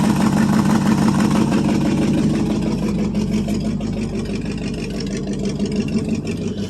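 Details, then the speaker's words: 1973 International 1210 2WD 3/4-ton, 345 V8 automatic with two-barrel carb, cold start after almost two years sitting: loose raspy puffing at roughly three beats a second over the idle; exhaust leak, exhaust coming out one side. "exhaust ain't real [Music] good still comes out this side kind of"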